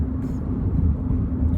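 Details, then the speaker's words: Chevy Cruze on test drive at 50 mph, comparison with bad wheel bearing roar: steady low road rumble, no growl or hum building, possibly some tyre noise; normal road noise with a good wheel bearing. "wanted to try and illustrate the difference we're still doing 50 miles an hour and you know there is definitely a noticeable change"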